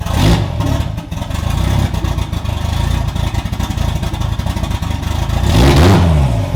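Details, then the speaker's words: Budget 2JZ-swapped BMW E36 at fuel pressure just over 40 psi: uneven, lumpy, stumbling idle with a couple of revs. Rough idle. "definitely still has a rough idle just a hair over 40 psi on in fuel pressure"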